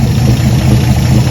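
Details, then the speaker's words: 1954 Chevy pickup farm truck, parked 30-some years, idling smooth and even after work on points and wiring, fed from a boat tank because the fuel pump won't pump; runs really nice, normal idle. "so thinking we needed a new fuel pump sort of worked but anyway we hook the boat tank to it and it's idling"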